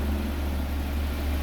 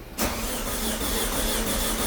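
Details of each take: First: Audi A4 B6 1.8T Quattro wagon after engine pulled and refreshed, first start once off timing was corrected: smooth, even low idle with a steady hum, no knocks or misses; started right up, healthy, normal idle. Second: Audi A4 B6 1.8T quattro, first start attempt after engine-out refresh: steady fast cranking about three turns per second that never catches, because the injectors and cam sensor were left unplugged; crank, no start.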